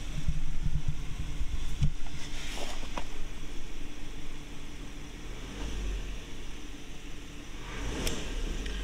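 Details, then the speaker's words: Car after replacing the accelerator pedal position sensor to cure a dead spot with no power: revs climb and fall cleanly with each pedal blip, no stumble or flat spot; smoother, throttle now responding normally. "seems a lot smoother you can feel it start to grab just that little bit you can hear the engine going I think that's really going to help things out"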